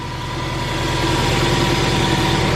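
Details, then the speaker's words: Subaru WRX with a replacement engine, first start after two months of sitting: steady, even low idle with a smooth pulse and no knocking or ticking. Engine sounds healthy and runs smooth. "she runs smooth sounds really smooth after freaking two months of sitting she sounds like this yeah she's fine"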